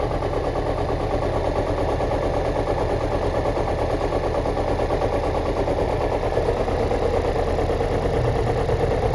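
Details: Chevrolet Celta engine runs with a rough, uneven pulse of roughly one beat per second over a dull rumble; owner asks whether the catalytic converter or the head gasket is to blame; cause unclear.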